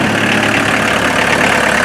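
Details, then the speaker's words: Mazda B1800 / Ford Courier pickup with a VW diesel swap, started after 10 seconds of glow plugs: a steady, dense diesel rattle at idle with exhaust rumble underneath; normal clatter. "you hear the exhaust over that clanking of the motor"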